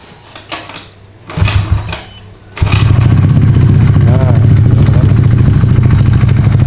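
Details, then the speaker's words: Honda Beat FI scooter that suddenly cuts out, exhaust refitted, still on old oil: after a couple of cranks it fires and idles with a fast tinny rattle of unknown source; mechanic suspects the engine, as it ran dry of oil. "di sini ada suara nerektek, Pak. Suara nerektek ini entah dari mana. Kemungkinan dari mesin karena motor ini kering oli."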